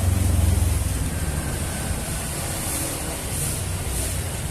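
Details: Yamaha NMAX engine after bore-up with Vixion 57 mm piston (head still concave), running after break-in: low, even exhaust pulse with no knock or tick over steady revs; sounds healthy and settled after the rebuild.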